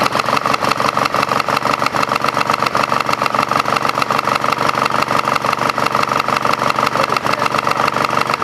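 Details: Craftsman GT5000 lawn tractor twin after woodruff key replacement, run without cooling fan and housing: loud, uneven chuffing pulse about three a second, rough and shaking; cause unknown, owner doubts crankshaft or weight problem.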